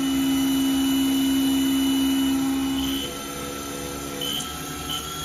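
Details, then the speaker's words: Haas VF0E CNC, 20 hp vector drive, after blown drive repaired and refitted, spindle previously rough with rpm hunting and high load: spindle ramped from 1000 to 2000 rpm with no load, steady clean hum, only one rpm fluctuation, low spindle load; normal. "better only one rpm fluctuation and the spindle load is nice and low it should be"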